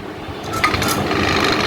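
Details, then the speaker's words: Sharp inverter refrigerator DC fan motor under test: still spins but gives a rough rattling whir with gritty rubbing and heavy vibration, unlike a good fan; motor failing and expected eventually to stop. "শব্দ পাবেন এবং এটার শব্দ হচ্ছে এবং এটা অনেকটাই vibration করছে দেখতেই পাচ্ছেন"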